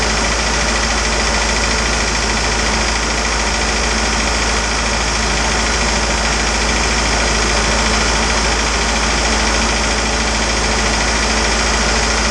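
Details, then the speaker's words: Isuzu 4BD2T diesel in a build, first startup after priming the fuel system, checking oil pressure and cleaning oil leaks: loud, steady diesel clatter at idle with an even beat and no misses or stumbles; idling normally. "man it feels good to hear this thing running finally"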